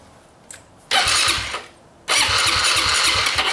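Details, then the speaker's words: Dirt bike test-fired after fitting a new chain: a short cough, then two ragged revving bursts that die after about a second; it fires but won't keep running, and the owner suspects it is almost out of gas. "actually he might be almost out of gas let's try that"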